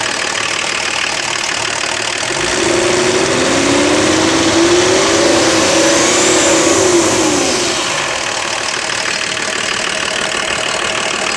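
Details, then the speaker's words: Volvo diesel run on filtered waste motor oil, with an open intake, revving up and back down; a clear turbo whistle rises with the revs and fades as they drop: normal turbo spool. "it's got an open intake over here so when you done it you can hear the turbo"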